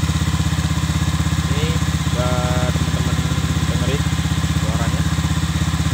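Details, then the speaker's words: Honda Vario 125 (old model) stock CLD racing-style exhaust, before the glasswool packing is replaced: quick, even putter with a thin, raspy, dry edge and little bass under throttle; worn silencer packing. "Jadi suaranya tuh kayak garing cempreng gitu. Jadi kalau digas tuh udah nggak ngebas lagi."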